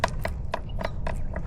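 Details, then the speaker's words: Creaking upper headset bearing on a Specialized S-Works Crux gravel bike, front end rocked with front brake held hard: sharp woody clicks about four a second, a slight creak/play persisting despite preload adjustment; fixed by replacing the upper headset assembly (Cane Creek 40). "And one of them is that no matter how well I set up the preload on the headset, there's always just a little bit of creaking in the headset."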